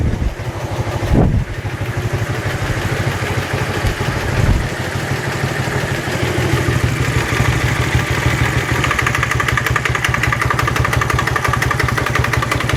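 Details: Dnepr-11 boxer twin at idle: a steady, even metallic knock throughout; opening the engine found no source, cause unidentified.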